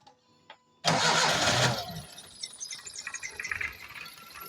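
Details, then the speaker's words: Engine won't hold idle, has lost power and vibrates heavily; cranks, catches harshly, then runs rough and stumbling. The ignition coil body is cracked and leaks current, so spark never reaches the plug: misfire from the cracked coil. "ये देखो coil की जो body है ना वो crack हो गई है और करंट लिकेज कर रही है"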